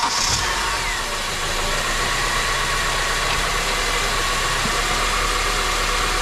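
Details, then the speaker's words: Turbo Honda Element with K-series engine, first start after fitting a BullBoost intake manifold and billet throttle body: steady idle with an airy hiss from an open manifold vacuum port; no idle air control valve fitted, check engine light on. "we fired the car over with the intake manifold everything sounded good other than the vacuum leak which is right here and we don't have an outer air control valve so we have a check engine light"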